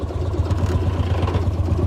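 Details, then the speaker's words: 1955 Lanz Bulldog D2402 single-cylinder full diesel tractor being driven under light load: deep, even thumping at about eight beats a second, steady and unhurried. Runs beautifully; normal running. "well this thing runs just beautiful it's a great little tractor to drive around never had it to a show"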